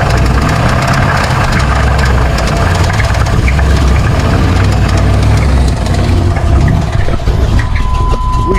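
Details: Junkyard 454 from a well-used engine, run on fuel poured down the throat because it won't run on its own old tank gas: rough, heavy V8 with a deep uneven knock under the idle; a badly damaged bottom end is likely.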